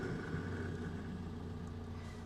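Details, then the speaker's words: 1949 Canadian Morris Minor Lowlight small four-cylinder just started cold in neutral with choke out: steady fast cold idle, slightly lumpy on choke but even and healthy. "now these earlier engines in my opinion always sound a lot smoother have a little listen it's a little bit lumpy CH got choke out"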